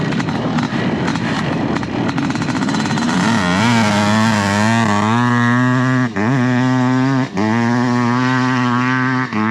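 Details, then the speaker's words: A 500 two-stroke dirt bike on a full-throttle pull, cracking and violent with a steeply rising pitch. A little sputter on takeoff, otherwise it sounds healthy under load. "That sound is insane. That 500 sound is just nutty. It's just stupid. It's so violent. I love it."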